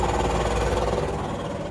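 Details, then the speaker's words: Running combine with doors open; fast, dense rattle from a belt sheave under the machine, owner says it always made it, not the bearing (serviced a year before purchase), audible turning belt by hand with engine off; cause unexplained. "This thing makes a weird noise under there. And you know what? I know about it."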